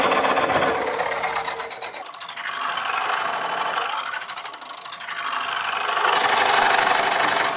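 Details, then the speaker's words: Woodcut Bowlsaver coring a bowl on the lathe: dry rasping scrape pulsing about four times a second as the coring blade rubs on a loose shaving trapped over the end; shavings must be cleared frequently. "I could hear then that it had picked up a loose shaving over the end."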